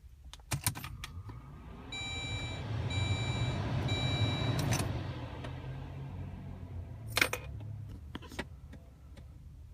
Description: If anyone can tell me what this sound is and how it can be fixed, it happens when the Heat or AC is turned on just for like 15 seconds and when the car is turned off